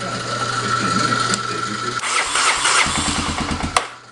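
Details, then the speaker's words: 1985 Honda 250SX ATV, in neutral on choke with fuel on: cranks, then the single-cylinder catches and settles into a steady quick thump; cold start is clean, runs good, no smoke. "yep yeah I said it runs good no problems there at all no smoke which is really really nice"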